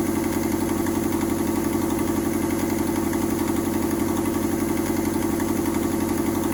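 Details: Mazda 121 Metro at a steady idle with a fast, even puffing tick on every firing pulse, about four a second, from an exhaust leak.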